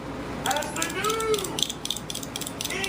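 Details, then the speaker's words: New silent arcade stick buttons replacing louder clicking ones: soft, muted clicks in quick uneven presses with no sharp snap; quieter than the old buttons, normal silent operation. "They're not as loud, they're silent, and I actually can practice more in private."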